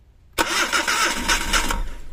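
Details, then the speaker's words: Suzuki DA64 minivan (K6A engine) cold morning start: engine catches with a rough burst, runs unevenly about a second, then dies; won't keep running without pumping the accelerator. Owner suspects a bad ignition coil pack, later replaced. "So ganyan kaog o starting patay agad no Hindi na tumuloy yan starting pa lang yan no patay na agad Hindi tumuloy pag-andar"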